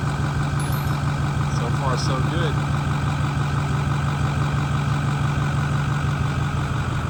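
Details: Ford Powerstroke 6.4 diesel F-350 after replacing the fuel pickup tube filter (quarter-tank fuel starvation issue), system primed: steady deep idle with an even low rumble, no stumbling or surging; engine not starving for diesel, runs smoothly.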